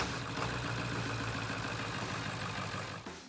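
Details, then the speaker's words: 1995–1997 7.3 Powerstroke diesel idling with a steady high squeal from the serpentine belt; water sprayed on the belt's rib side stopped the squeak, confirming the belt, which is then replaced. "truck has acquired a pretty bad belt squeak."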